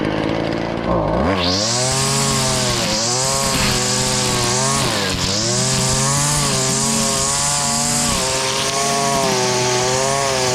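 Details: Stihl FS70R two-stroke string trimmer after repair (bogging and no power traced to a fuel mix with far too much oil, clogged spark arrestor and gummed carburetor, carburetor cleaned): high revs dip as line bites growth, recovering quickly to full speed; normal running under load.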